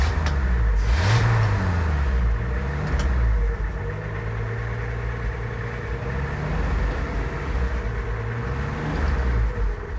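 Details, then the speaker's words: 1966 Ford F100, first day of cleanup: low wavering engine note drifting up and down, barely keeping itself running; weak rough idle. "As you can hear, it's just barely. It idles."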